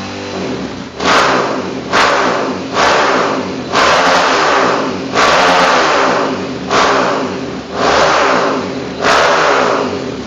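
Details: Honda CRF bored up to 300 cc, existing 34/29 valves, freshly set up: about eight sharp throttle blips roughly a second apart, each rising cleanly and dropping back smoothly, no rattles; sounds smooth, healthy engine.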